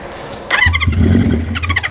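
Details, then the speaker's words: 1973 Honda CB350 Four, cold, choked, in neutral, on starting fluid: fires raggedly for about a second and dies; fuel suspected not reaching the cylinders, owner suspects the carburetor jets need cleaning. "definitely sounded like it ran I need to clean out some Jets"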